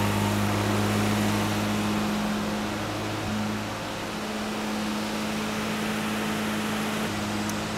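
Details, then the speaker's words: Classic Mini Cooper S engine in a 400 kg trike, cold start, fires within two seconds: steady even drone near 2000 rpm; fast idle too high from cold before oil can circulate. "well as you can hear that engine is running at around about 2000 rpm which isn't a problem particularly but it's quite quick from cold for an engine to be running at"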